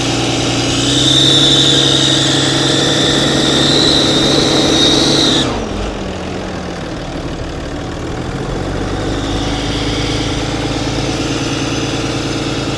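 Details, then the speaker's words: Cummins diesel work truck at idle with no check engine light: fast, regular ticking about four per second that stops when the engine shuts off. Traced to a leaking exhaust manifold, noticed by the customer with the exhaust brake applied. "He is right. That is a weird sound. I was not expecting that. What does it sound like to you? Are you thinking? It sounds like exhaust."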